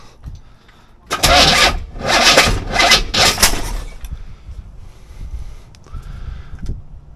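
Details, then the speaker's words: C4 Corvette 350 after rebuild, distributor just turned 180°: it cranks and catches in three ragged, popping bursts, then stumbles and dies. The rough backfiring start likely comes from timing being way off, with too much advance. "and lift off. Way too much timing. Did not like that."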